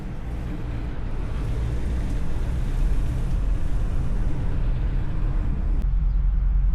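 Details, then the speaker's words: Shelby GT350 5.2 Voodoo V8, startup after oil drain and refill with 5W50: deep rumble swelling as it catches with rough uneven rattle; rattle persists, cause unknown, teardown needed. "So it's still there a little bit. You hear the rattle. Definitely gonna have to continue with the teardown."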